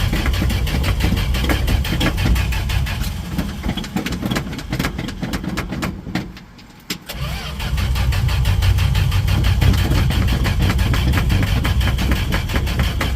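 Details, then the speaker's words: 1968 Dodge D100 with a hard start: starter churns steadily at about four turns a second, pauses, then cranks again without catching. "Come on, baby. Holy gas, really taking its time. Alright, let's put some gas down the throat."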